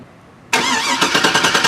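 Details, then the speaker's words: Starter jumped via relay pins 30 and 87 with vehicle in park, battery tested good: silence then strong even cranking about nine pulses a second; starter good, relay likely bad. "See? So what that tells me now is that the starter on this vehicle is basically good, and that the most likely the problem with this vehicle is going to be is that I have a bad"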